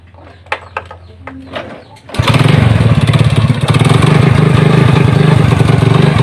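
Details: Honda Supra motorcycle built with mixed BMC and Honda blocks. It has a rough, rattly knock at idle and low throttle that sometimes disappears with the throttle opened. Cause: a loose clutch-side nut whose threads were still good.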